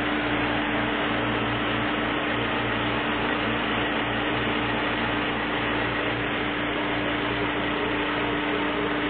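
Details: Chevrolet Niva 1.7i during break-in, first kilometres after major engine overhaul (42x34 valves, 14 cam), before chip tuning, idling after start: smooth, steady hum with even tone and no knocks or misses; normal idle.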